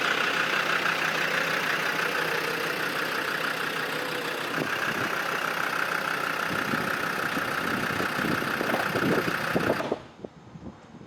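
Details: Classic VW split-screen camper van on a brand-new battery, running for the first time in years; an even clatter at a steady idle with no misses or knocks until it shuts off. The engine is running healthy.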